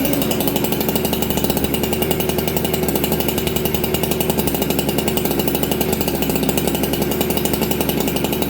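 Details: Ported Husqvarna 266XP chainsaw, first start in a year after sitting, with new full-wrap dogs: steady, crisp two-stroke burble at even idle, crisper throttle and restarts well, idle slightly fast; running properly.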